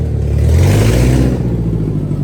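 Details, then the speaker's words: Subaru 2.5RS abandoned ~20 years, after clutch, clutch fork, pilot bearing repair and clutch bleeding, driveshaft sorted: smooth pull through revs up to 4th gear, clean even note, no knocks; runs and drives normally, slight 2nd–3rd grind from incompletely bled clutch. "Well, there it is. It runs and drives."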